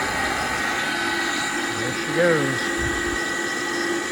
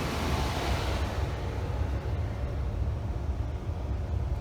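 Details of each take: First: Gas furnace inducer motor running: loud steady humming drone with a rough edge and a brief pitch wobble at startup; it sounds terrible and needs replacing but was reinstalled temporarily to test the furnace. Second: Legacy gas furnace, found wrongly installed, after fixing no-heat/indoor blower problem: low, steady even hum with no knocks, rattles or squeal; inducer motor sounds smooth, normal running.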